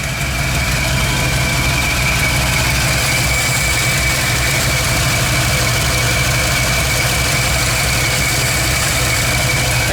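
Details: V8 with stock mild setup, MSD/Holley distributor swapped for an HEI, timing about 15°: deep, even idle with steady low rumble and no miss, knock or surge; normal idle.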